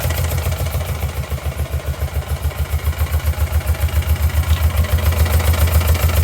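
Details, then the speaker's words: Motorcycle twin with one cylinder not firing (plugs changed, coils swapped, no change), that plug unplugged: running on the good cylinder, lumpy shaky idle around 3.5 beats a second, not quite right but better than the other side. "This one's firing. It sounds, well, it doesn't sound quite right, but it sounds a lot better than the other side when it runs."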